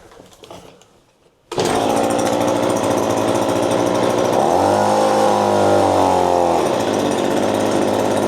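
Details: Echo PB-2520 leaf blower running after a temporary fix freed its stuck starter cord and the spark plug was dealt with. After a second of quiet it fires, buzzes steadily, revs up for two seconds and settles; running fine.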